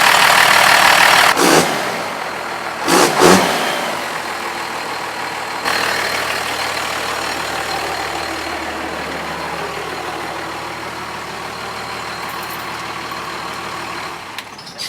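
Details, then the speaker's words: First-gen 12-valve Cummins diesel truck started after fitting billet parts and reconnecting the VE pump wiring, on a booster battery after a dead battery: two cranking bursts fail, then it fires and clatters steadily; hard starting, new since the work, cause unknown. "As you guys can see, I was able to start it up, but I really don't know why, but sometimes it sounds like it's having a little hard time starting up."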